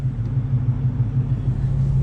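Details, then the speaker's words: 1972 Dodge Challenger V8, 3-speed manual, headers and Flowmaster dual exhaust: deep steady idle; front-end ticking first thought a lifter stops when the clutch pedal is pushed in, so it's the clutch, not the motor. "it's gone. So yeah, not the motor, definitely clutch."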